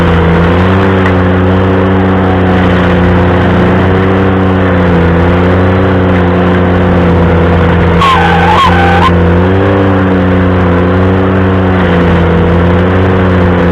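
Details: Ventrac stump grinder engine droning steadily under load, with a shrill squeal bending in pitch for about a second mid-grind. Cause unclear.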